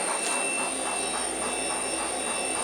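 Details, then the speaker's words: Schaublin lathe running during oil-leak repair on the Variator pulley; very quiet steady running with only a faint high-pitched drive whine, no knocks or grinding, the lathe runs smoothly and silently. "as you can hear this is quite the silent silent thing"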